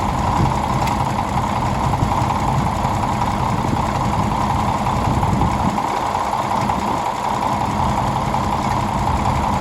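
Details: 1951 D8 2U dozer that sat in a barn since about 1990, big diesel motor running after first start; steady, even, rough low rumble with no rhythmic knock, sounding healthy.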